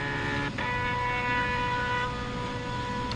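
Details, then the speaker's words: AutoDOD brass case machine, stepper controller at speed 3: loud steady electronic whine with a fast buzzing pulse, about 85 dB, 30 dB over the room; quieter at slower speed. "you're talking you know 30 decibels over so if we run on the slower speed it got quieter"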